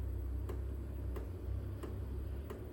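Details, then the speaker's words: HCALORY 8kW toolbox diesel air heater filled with diesel, about a minute and a half into startup with no warm air yet: sharp, even ticks about every two-thirds of a second over a low hum, the fuel pump dosing normally as it lights. "So that's the fuel pump. You can hear that little"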